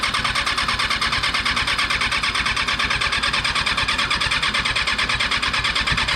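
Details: Rebuilt Kawasaki 636 motorcycle engine, first start after install: rapid, even cranking beat with a bright whirring starter but no catch into a run, with occasional small sputters. Cause not confirmed.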